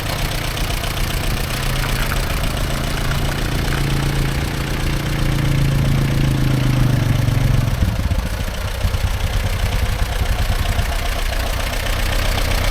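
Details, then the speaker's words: 1945/1946 Allis Chalmers Model B tractor, magneto ignition, barn-stored about 20 years, after dirt was cleaned out: low, steady chuffing at a few beats a second that slows around eight seconds and stays even; running sweet. "Oh, that sounds pretty good. It's running sweet now."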